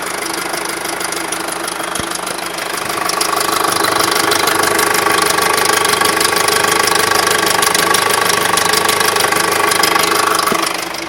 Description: Rough engine noise/tapping from my 2006 octavia vrs. It is a 2.0 petrol tfsi with 70k on the clock.